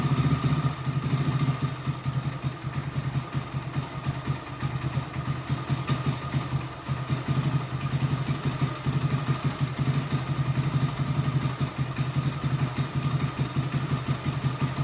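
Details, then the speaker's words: Hero Glamour BS4 single-cylinder bike just after full engine rebuild, freshly started: smooth, steady low idle with an even beat, no tapping or rattle; mechanic calls it very smooth; healthy. "Engine sound అయితే smooth వస్తుంది, మీకు already అర్థమవుతుంది. Engine sound అయితే చాలా అంటే చాలా స్మూత్గా ఉందన్నమాట."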